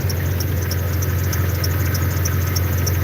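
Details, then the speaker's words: Jeep at idle, hood open: sharp high chirps three or four times a second over a steady idle; owner suspects the belt, though it isn't old. "I don't know what the fuck that squeaking noise is. It sound like my belt. This belt ain't that old."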